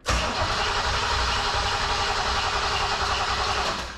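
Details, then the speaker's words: 1987 Chevrolet Camaro IROC-Z long unused, after fuel tank refitted and fuel pressure restored; starter grinds about four seconds without firing, sagging toward the end, low battery cranking too slowly. "a low battery let me uh grab my squirt bottle and we'll do that trick again"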